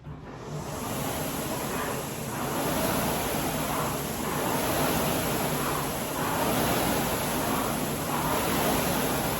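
Even whooshing fan surges about every two seconds with each stroke, no rattling or clacking from the chain; a smooth, healthy run.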